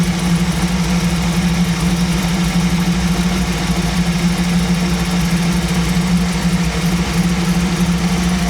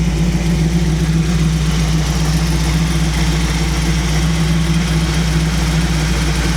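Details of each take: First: 1937 Buick street rod with new BluePrint 350 crate engine during break-in, choke off, carburetor idle mixture screws set at one turn out; deep even low rumble at steady idle around 850 rpm, no miss or surging; mixture about right. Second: 1937 Buick street rod with a new BluePrint 350 crate engine in break-in, choke off, off-choke idle raised: a steady low rumble at about 900 rpm with a soft lope; the idle mixture is a touch rich, later adjusted.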